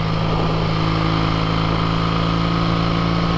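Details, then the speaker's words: 1968 Triumph Bonneville 650 twin cafe racer, essentially completely rebuilt, cruising at 60 mph: steady, even engine drone at constant pitch over road noise, no knocks, rattles or unnecessary vibration; normal cruise. ""60 miles an hour, it rolls smooth, it's great. I have one hand off the handlebars, no unnecessary vibrations."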